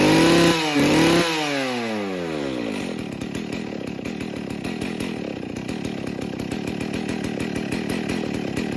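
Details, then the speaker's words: Husqvarna 61 Rancher chainsaw, run on 40:1 mix, about 30 degrees warmer than last run: after revs drop it settles into slow, slightly uneven idle popping around three per second; idling a little low. "It's idling a little low."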